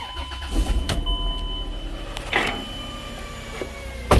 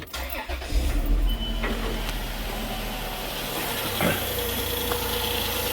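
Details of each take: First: 2004 Chrysler Pacifica, about 150k miles, cold start; steady humming, whirring high tone that goes away as it warms up, unchanged with revs, charging still fine; likely a bad alternator bearing, so alternator is replaced. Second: 2004 Chrysler Pacifica after replacing original alternator for a humming whirring noise; quick start settling into a smooth steady idle, nice and quiet with no whirring noise anymore.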